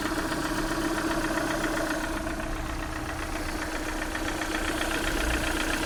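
Petrol engine idling with a fast light tapping, roughly four a second, riding over the hum; sounds like noisy hydraulic lifters.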